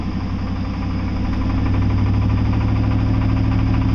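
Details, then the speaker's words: Chevy engine revved toward 2,000 rpm: a deep, regular knock grows louder with revs, today starting below 2,000. Owner suspects the flexplate but also mentions rod knock. Coolant leak and exhaust leak are present too. "I don't know if you hear knocking now, but that's the flex plate. I'm gonna go to 2,000 RPM, and that's usually where it starts, and then it just gets louder and louder."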